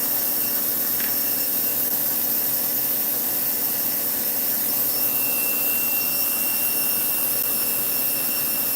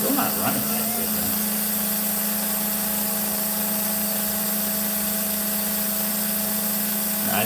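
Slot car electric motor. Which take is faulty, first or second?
second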